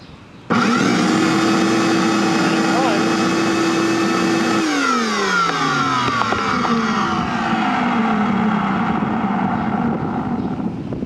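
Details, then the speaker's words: Old shop vac kept outdoors for years, no filter, float disabled, switches hot-glued on and buttons missing: loud whine that after about five seconds sags and wavers unsteadily, motor runs rough but keeps going. "I've had water chooching out of the outlet on this thing, and the motor is screaming in pain, and it continues to run."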